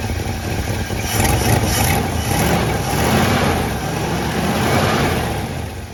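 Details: 1966 Plymouth Fury III, Poly 318 V8, after a new coil, work on plugs and distributor cap, and a fuel leak: low, steady rumble now idling on its own with light blips, quiet and smooth; before, it only ran with high throttle.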